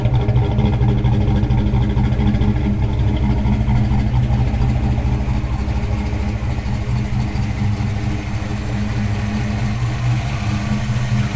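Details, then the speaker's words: 1988 Foxbody coupe V8 after its no-start fix: a bad coil wire and a failed ignition switch/harness in the steering column were repaired, wiring cleaned up and the nitrous kit removed. Steady even idle with a deep uniform burble, no misses or knocks; healthy. "So success, got the ignition problem sorted out, got a whole bunch of wiring cleaned up, got the nitrous off, car's looking pretty good."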